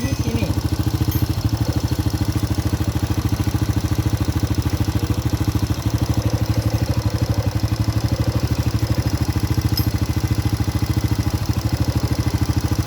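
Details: Honda Supra Grand carbureted motorcycle with fouled black spark plugs, warming up after carburetor needle/nozzle work: even, steady idle thump about 200 beats a minute, no stutter; engine now smooth, no longer stuttering as before.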